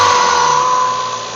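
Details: 1995 Mazda Miata, cold start first thing in the morning, front and center of engine: steady high-pitched ringing squeal that fades and disappears after about 5 minutes; owner suspects tensioner or water pump, source unconfirmed.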